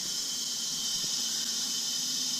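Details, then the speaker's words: Nissan 240SX S14 with KA engine stalling, engine off, intercooler piping pressurized to about 5–6 psi in boost leak test: steady sharp hiss of escaping air at an intercooler hose coupling. "already feel air coming out of there blue sleek baby let's see that's 5 psi that's like 6 psi"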